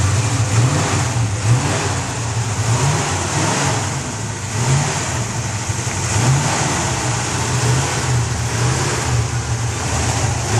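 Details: 1966 Ford Mustang after replacing the points and condenser: strong steady low rumble with smooth revs rising and falling, no misses or knocks; engine running healthy.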